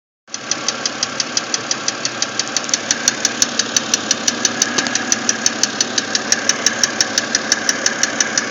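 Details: BMW X3 engine at idle: sharp, evenly spaced ticking about three per second over a quiet idle; distinct engine ticking noise.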